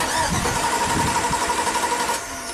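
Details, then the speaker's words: 2003 Chevy Silverado Classic V8 no-crank diagnosis, starter relay socket pins 30 and 87 jumped to send voltage straight to the starter: steady, brisk cranking with a strong starter whir; the load side of the starter circuit is fine. "I'm going to connect pins 30 to 87 now let's just turn the key off for now I just want to see if this if the starter cranks"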